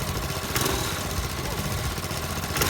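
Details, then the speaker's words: Marketplace lawnmower small engine run with governor spring removed, before dirt and no-oil tests, after water was run through the intake; loud rough chatter with hard metallic edges; sounds like knocking, cause not confirmed. "So now what the heck's going to happen? I'm a little curious. Sounds like it's knocking."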